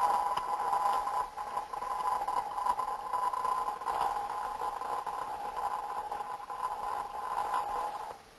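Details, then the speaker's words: Electrical discharge heard through an ultrasound probe: steady buzzing laced with popping and crackling that rises and falls in intensity, with abundant frequency content around 480–530 Hz; the popping tonal quality is characteristic of discharge or tracking. "The tonal quality of the recording suggested popping noises. That's characteristic of them discharges as we hear it."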